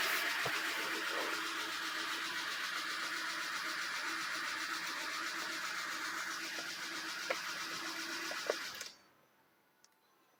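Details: Aircross engine at idle with the oil pressure warning light on: fast, fairly even light ticking about four per second, a knocking noise whose cause is not yet found.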